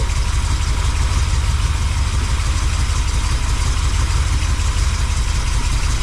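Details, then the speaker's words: Chevy 350 small-block V8 in a C10 square body, just fitted with Edelbrock intake manifold and carb, timing not yet set: deep steady idle with even low rumble, no knocks, misses or ticks; clean normal idle. "It sounds clean. Mira. Sounds clean. Sounds hella clean."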